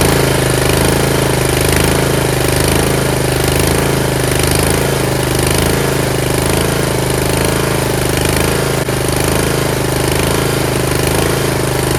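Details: Yard Machines (MTD) 38" riding mower, 13.5 HP Tecumseh engine: steady, even single-cylinder throb, no misses or surges over twelve seconds; normal running. Owner suspects possible carb issue after an earlier stall.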